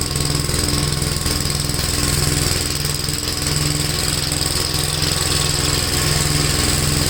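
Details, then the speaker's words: Gravely tractor driving a brush hog mulcher after clutch adjustment and kit assembly, running under PTO load: steady even engine drone with the mower's low beat underneath, no knocks or vibration, tractor seems to lose some power; normal running. "wow if anything this sounds cool plates are still spaming well it runs really uh smooth no vibration"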